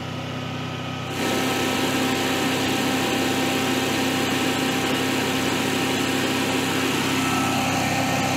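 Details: Generac-built Honeywell propane standby generator with repeated overspeed faults; the engine holds a hard, high-pitched drone at about 4000 rpm, faster than normal. The technician suspects a failing governor stepper motor.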